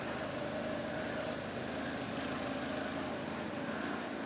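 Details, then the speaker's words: Volvo 240 first start after months off road for water pump, timing belt, thermostat, B cam, new shims, Redblockpowered ECU/EZK and mounts; no leaks, smooth idle with even exhaust pulses and no misses; owner does hear a small exhaust leak. "I don't understand how this is just working. There's nothing leaking. Nice even pulses."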